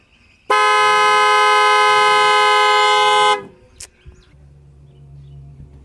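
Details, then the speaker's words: 2008 Dodge Nitro that wouldn't start after battery disconnection for a water pump job: one loud steady horn blast of about three seconds, then quiet; anti-theft alarm tripping, cleared by cycling the battery negative with ignition on. "OK ahora sí pueden ver la luz se apagó el arma se desactivó ahora hay que ajustar la batería nuevamente"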